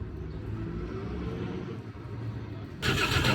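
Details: Diesel truck after bleeding air from the fuel system: uneven low churning as the starter turns the engine over, then a sudden louder rush near the end as it tries to fire.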